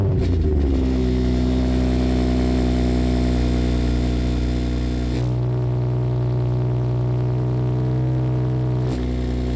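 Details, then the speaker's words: 2017 BMW 340i with muffler delete, idling with a buzzy metallic rattle that vanishes instantly each time the exhaust valve flap opens; replacing the actuator clip did not fix it. "You'll hear the rattling, and then as soon as I open the flap, it instantly goes away."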